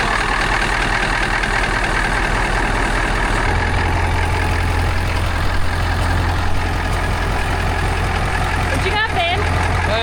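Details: 1982 Marmon truck with 3408 CAT diesel, first start after rewiring joined battery banks, 12 volts on dash: engine catches and settles into steady even low diesel rumble, no misses or knocks; normal start and idle.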